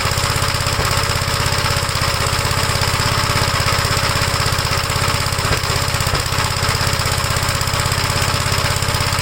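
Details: 1956 Gravely L, cold engine, choked and throttled up, with vacuum leaks already checked. It starts on the first pull but runs rough with heavy, lumpy, uneven thumping at about 160 beats a minute. The owner is unsure what happened inside the carburetor.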